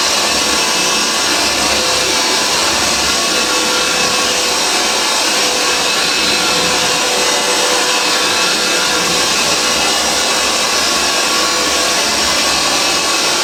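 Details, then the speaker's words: Antique Hoover 612 vacuum cleaner after refurbishment: strong steady high-pitched rushing hum, even note, lovely purr, no rattles or labouring; motor and fan running normally, absolutely superb. "Have a look at that, but as you can hear, it is absolutely superb."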